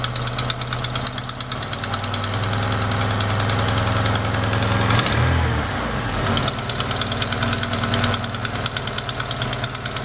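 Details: Quick sharp ticking at idle, roughly three a second over a rough engine note; not lifters or rocker adjusters but a leaking exhaust manifold gasket at cylinder 4, which replacing the gasket should fix.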